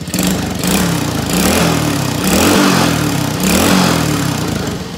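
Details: Small Chinese kids ATV after carburetor cleaning, wheels up, idle set for centrifugal clutch: holds steady idle, revs up and drops back smoothly with no stumble — normal idle and rev.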